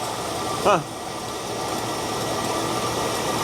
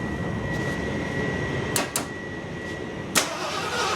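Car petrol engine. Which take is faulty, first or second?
second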